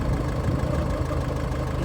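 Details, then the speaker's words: High-mileage Range Rover Evoque at idle, microphone near the engine: a low, hollow, plastic-sounding churning whirr rolls under the engine note. Owner suspects the belt area, as the belt tensioner isn't moving; source not confirmed. "she's just come home in the Range Rover and to me that sounded like that had a funny noise going on"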